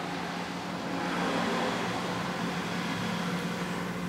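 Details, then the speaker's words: Evinrude/Johnson 15 hp outboard running, whine persisting after trying three lower units and two driveshafts, possibly a crank bearing: steady whine at one low pitch over the running noise; cause not pinned down. "I'm still getting that whining noise it doesn't seem like it's as bad as it was with the other um drive shaft but I can still feel it you can still hear it"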